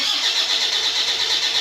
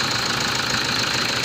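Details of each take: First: Diesel Toyota Fortuner stalled on the highway after running out of fuel, with a booster connected for weak battery voltage. It cranks with an even, rapid churn but never starts. Suspected issues: no fuel, weak battery, faulty starter, dirty MAF, dirty injectors. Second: Diesel Toyota Fortuner that stalled on the highway from running out of fuel, running after priming the fuel system; weak battery, faulty starter and dirty MAF sensor and injectors noted. Steady, even diesel clatter at idle with no misses or stumbles, now running properly.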